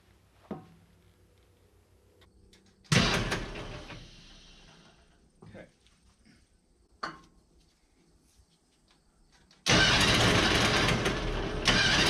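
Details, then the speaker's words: Pony start motor of a 1950s Caterpillar 955 Traxcavator after fueling and oiling: two bursts of steady cranking with hardly a catch, won't fire because the fuel valve was shut off. "whew it might help if i turn the gas on"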